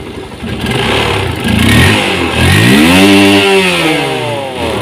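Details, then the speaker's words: Honda CB150R first-generation single-cylinder after ECU remap raised the rev limit from 9,000 to 12,000 rpm; otherwise a stock engine. Throttle blips climb fast and clean to a high scream and drop back smoothly, revving freely past the old cutoff. "Jebol ya, tadi berhenti di 9.000, sekarang 12.000, tangguh."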